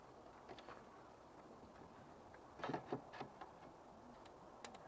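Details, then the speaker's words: Renault Alpine V6 Turbo fuel injector, removed and bench-tested with a separate battery as suspected sticking: a few crisp clicks when power touches the terminals, showing the injector opens normally. "dieses Minus dieses Klickgeräusch, das anzeigt, dass der Injektor normal funktioniert. Es fühlt sich wie ein Klickgeräusch im Inneren des Injektors an , und selbst wenn es normal ist, geht es in dem Moment in Flammen auf, in dem es mit dieser Elektrizität in Berührung kommt."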